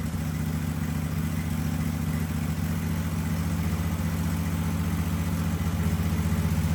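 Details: Husqvarna riding mower (probably a 2554, barn find) first start after fuel filter change, battery-charger arcing on flywheel: steady even low thrum, quick regular firing, no misses or knocks; a little smoky, possibly from sitting and brake-clean cranking; running normally.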